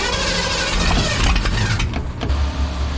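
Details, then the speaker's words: A Ford demolition-derby car cranks without starting and gives a couple of pops back through the carburetor. Water in the fuel, new fuel mixed with old, is suspected, and the starter is probably dying; neither is confirmed. "that's the thing if i could just get it fire up i could make it come through but then it pops through the carburetor no that doesn't sound good starter is probably dying"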